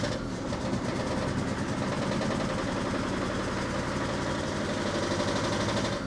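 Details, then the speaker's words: 1984 Opel Ascona 1.6S Touring, 90hp, revived after sitting, fuel pump reinstalled: idle chugs unevenly with a lumpy, stumbling beat; misfire, not fuel-related per owner, who checks ignition coil connections, one differs. "they got misfire I don't think that's fuel related that's definitely a misfire it's definitely a misfire"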